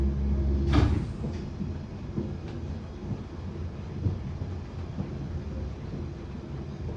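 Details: Bakerloo line 1972 stock train under way after departing Stonebridge Park, September 2022: steady metro rumble with sharp pops recurring irregularly about every second; cause not evident.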